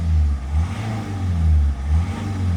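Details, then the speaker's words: Citroen C5 nearly up to temperature, running on about 10 litres of fresh petrol after the old fuel was drained, MAF sensor disconnected. Revs rise and fall cleanly with crisp throttle response and no misses, knocks or rattles; the engine sounds healthy. "The engine sounds healthy. It sounds fantastic. It's nearly up to temperature."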